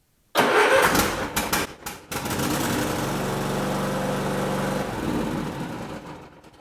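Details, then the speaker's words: Cub Cadet LTX riding mower, cold engine started with choke pulled out and brake pushed or parking brake set: a few cranking bursts, then the single catches and settles into a steady, even idle; healthy cold start. "you're going to have to pull that choke out to start this thing up if it's if you have a cold engine"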